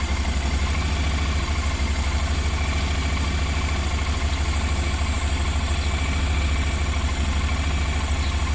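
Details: 2019 Honda NC750X after the first 300 km, cold start: rough, lumpy idle with uneven, stumbling beats; misfiring because 5 of 8 valves were found to have no valve clearance left.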